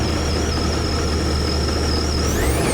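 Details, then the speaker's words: 2021 Sea-Doo RXT-X 300 ridden in salt water for years with no maintenance: a steady deep engine drone with a thin high whine rising slightly at the end; the jet pump is worn out, and salt water was found in the cooler and engine. "Oh, I hear the jet pump. All right. I don't know if you guys can tell, but that jet pump is shot."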